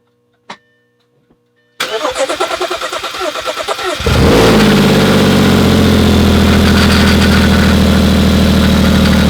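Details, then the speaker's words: Audi A4 with transplanted 3.2L engine, first start: cranks, fires and settles into a very loud, raw blatting idle from a broken exhaust flex pipe; engine otherwise sounds healthy. Exhaust leak at broken flex pipe. "After the last clip of starting the engine, and yes, it didn't sound all that nice, and that's due to the fact that the flex pipe is broken on the exhaust, so it is awfully loud."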